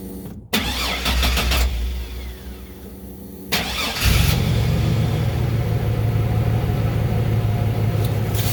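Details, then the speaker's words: 2002 Chevy Silverado, key-on fuel pump prime check (pump should run a few seconds; spec about 55 psi): short start burst then steady low drone; pump run buried, nothing amiss. "right in here and the fuel pump should run when you first turn the key to the on position so if you're in a pretty quiet place you should be able to just turn the key on and you can hear it running for just a few seconds"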